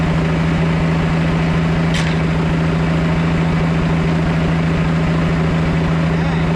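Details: 1991 Four Winns OMC 4.3L inboard idling on the hose: low, steady rumble with an even exhaust pulse and no knocks or surges. Oil pressure is great and the alternator is working.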